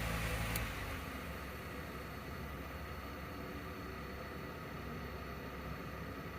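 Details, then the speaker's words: 12V compressor refrigerator in a solar-powered travel trailer, mounted under the bed, condenser fan switched off so only the compressor/condenser unit is heard after repair: quiet steady hum and soft hiss, no knocks; running normally. "there you go that's all the noise that it makes that's it pretty crazy how quiet this thing is and it's right under my bed it doesn't even wake me up at night"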